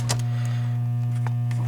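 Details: Williams Flash pinball machine speaker: constant low steady 60-cycle mains hum from the soundboard, traced to a ground-loop through the braided earth ground wire, which nearly disappears when that wire is removed.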